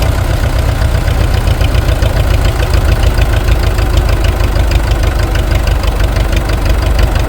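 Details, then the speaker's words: International TD-6 crawler started in gas mode after the cylinder #4 misfire fix: it started right up and gives a deep, even beat at steady low speed with no misses or stumbles. Normal running. "Okay, we're going to try to start it in gas mode. Probably should have done this to begin with, but That was easy."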